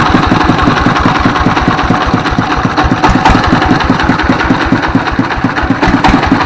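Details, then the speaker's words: Single-cylinder diesel S1115, 24 hp, after service for thick black smoke and hunting throttle: steady, even chugging at idle with regular firing pulses, slight rise and fall at idle considered normal; smoke reduced. "Baik sahabat ketika posisi stasioner ya ini gas ini bisa besar kecil besar kecil ya posisi stasioner itu tidak masalah normal ya"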